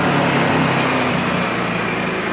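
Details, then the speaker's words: Ryobi RYi2200 inverter generator, about a week old, cold-started on the choke after sitting a couple of days, in regular mode (high idle) in a garage: steady, even mid-pitch drone, no surging or misses; normal high idle. "when you started up initially it does kind of go through a high-rent cycle and then it will it'll shut down it'll probably drop ad about 70% of films and volume on a standard Idol"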